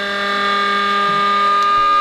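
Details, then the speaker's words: Two-stage Tesla turbine with plastic rotors in sealed Lexan cryophorus system, unbalanced, ceramic bearings: steady piercing high whine at one pitch; bearings can't push lubricant out of the way fast enough at this speed. "Yeah, so it's very high frequency. Yeah. Yeah, so even up against right now we can't push the lubrication out of the way fast enough in the bearing"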